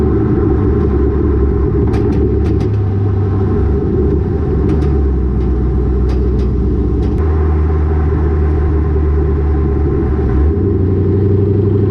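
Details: Lowered car (rear coilovers) with Borla catback, after a header-wrap fix on the over-axle pipe: steady low engine drone and road rumble under the car while driving, with no thuds or knocks; the exhaust no longer hits suspension components.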